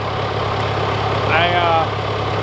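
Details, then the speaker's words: John Deere 410C backhoe diesel in winter cold, after battery terminals were cleaned, idling about ten minutes after start: a steady, even low chug with no knock, miss or hunting; healthy idle. "all right it's running about ten minutes now"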